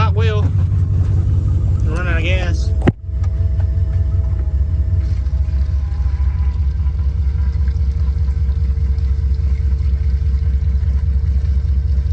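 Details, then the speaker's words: Abandoned 1986 Nissan Maxima wagon with a 3.0 V6, revived after sitting for decades: low, lumpy uneven idle; attributed to a bad fuel leak with the pump in a can, nearly out of gas, no oil pressure shown. "she's sitting here idling with a bat with a bad fuel leak a fuel pump in the trash can almost out of gas yeah bat fuel leak that's why it's running so bad"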